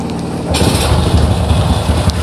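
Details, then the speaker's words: Motorcycle engine after valve lapping and cylinder block/head reassembly starts easily and settles to a smooth, steady idle; exhaust clean with no smoke, healthy start like a new bike. "teman-teman sekarang hidupnya aja udah gampang sekali ya udah mudah sekali dan Langsa nya juga enak ya stasionernya enak ya"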